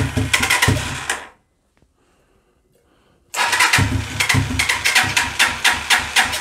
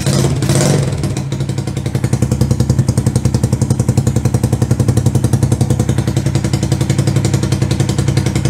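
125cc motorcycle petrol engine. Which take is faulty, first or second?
first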